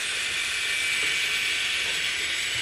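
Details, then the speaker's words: Electric crawler running: the motor is quiet, but in second gear a continuous high-pitched whine with a thin steady tone rides on top, attributed to transmission gear noise. "it's got to be the veins because it's just quiet and in second gear you can hear M how much of its gear"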